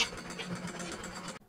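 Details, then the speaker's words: Sewing machine after oiling: light, even whirr with a soft regular pulse and no harsh clatter before it stops; noise much reduced by lubrication. "আহস তো অনেকটা কমে গেছে ভাই আমি আপনারে কইলাম না যে মেশিনে খাওন দিলে আহস থাকবে না ভাই অনেক কমে গেছে"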